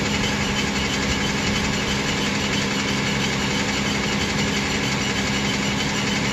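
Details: Toyota Tacoma on cold start: steady idle with light chattering knock/rattle and thin squeak, changes when the clutch pedal is pressed and released, goes away at normal operating temperature; cause not yet found.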